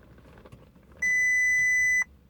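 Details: Audi A3 1.8 won't start: one sharp high steady beep lasting about a second, quiet background, engine never catches; no-start with warning beep, cause unclear.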